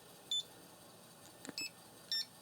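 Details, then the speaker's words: Floppy disk drive under read test, spindle deliberately slowed, disk formatted on a known working drive: three short high beeps at uneven gaps over a quiet hum; read errors from slowed spindle, tracks no longer reading a consistent 30 sectors. "now if it weren't reading the track properly or say watch if I slow down the spindle here see how it's just"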